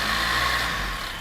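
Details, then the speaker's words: Engine after AC compressor bearing replacement; it previously howled at start and on throttle because of a worn bearing. Now it revs up cleanly and drops back with no howl or grind; healthy. "之前的发动机在着火和加油门的时候传出来的嗷嗷嗷的异响声已经彻底解决了。"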